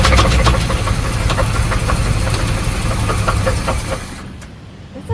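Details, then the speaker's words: 1979 Pontiac Trans Am parked in a garage for over a decade catches on fuel poured down the carburetor, runs roughly about four seconds then dies. "right I only put enough in there to run for a few seconds that's all right at least we got it going"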